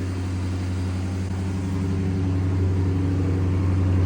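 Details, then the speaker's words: Flood-damaged 2007 Chrysler SRT8 idling just after its first successful start, following cleaned terminals and a new part: a steady, even low rumble with no knocks, misses or rattles. The engine sounds good. "Oh my gosh. Dang it, I'm so bummed we didn't get that on camera. Engine sounds good."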